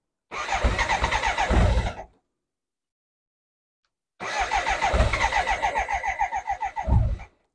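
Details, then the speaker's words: BMW K100 with fresh fuel and a new fuel filter (choke light stuck on): two cranking bursts with even chuffing compression beats and brief catches, but it never runs. Cranks but won't start; fuel pressure and regulator are to be checked. "it now has been filled up with fresh Fuel and does turn over and tries to start as you can hear it tries to start a little bit there so let's try it"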